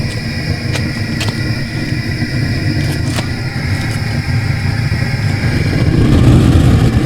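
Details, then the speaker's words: Small sprung-arch stoneware kiln, raw pots, fired aggressively with a blower burner: deep steady roar with a low rumble that swells slightly, even and healthy; normal running at high fire. "like i said i don't want to go too far with this pretty aggressive right now looks like this fan is going"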